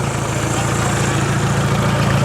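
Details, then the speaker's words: Choppy, misfire-like petrol idle after a fresh start, temperature good and not overheating, because the exhaust is not bolted up and hangs loose underneath. "sounds like it has a misfire but that's because the exhaust is not connected down there"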